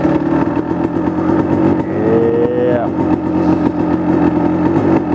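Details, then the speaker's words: 1999 Kawasaki KX250 Splitfire two-stroke, first start after full rebuild, warming up; crisp ringing idle, steady and even with a brief rev blip; normal two-stroke idle. "The plan is just pretty much let it warm up and idle until it gets warm,"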